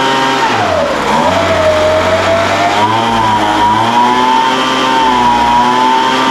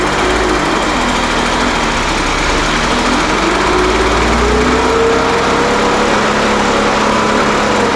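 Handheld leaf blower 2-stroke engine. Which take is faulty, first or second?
first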